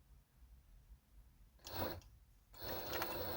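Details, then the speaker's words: Necchi 831-101 industrial walking-foot sewing machine with new 550W servo motor, sewing two layers of jeans with 130 needle at minimum speed: near-silent motor between soft needle and feed clatter; normal quiet servo drive. "This is the sound of the motor. And this is the speed. This is the minimum speed which I use."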